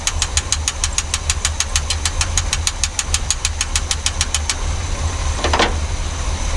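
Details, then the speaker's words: Abandoned-for-years Chevy C30 squarebody with utility bed, 350 V8 and dual exhaust, idling after revival: very quiet, steady low rumble with a light even tick; runs smoothly despite earlier fears of a gunked fuel supply. "she freaking runs she's so quiet wow"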